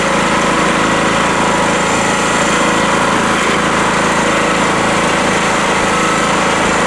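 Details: Rotakt generator warming up with no load after its first start, choke at run, 232 V output: smooth, steady buzzing drone with no misses, knocks or surging, idling evenly and normally.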